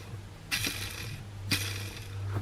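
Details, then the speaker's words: Clutch release bearing, engine out, spun by hand three times: gritty, rasping whirr instead of a smooth spin; worn bearing, to be replaced with a new smooth one. "Engine's out, I thought I'd have a look at the release bearing, if you have a listen."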